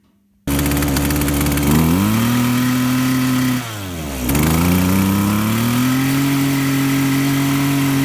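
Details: Two-stroke saw (not the presenter's own chainsaw) at full throttle adjusting the high-speed mixture: steady high buzz bogs down at the rich spot, then climbs back clean as leaned out.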